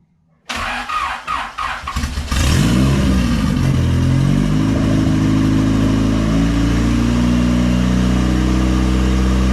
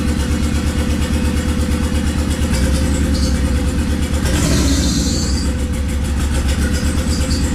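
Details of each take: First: Used Honda engine fitted with a big turbo kit, first run after assembly, no cooling connected and a slightly leaking water pump: cranks, catches, revs, then settles into a strong, steady run with no misses; normal running. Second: Swapped Honda D15B2 engine in an EG coupe at idle: uneven, stumbling low thump with irregular beat as a cylinder drops out; misfire.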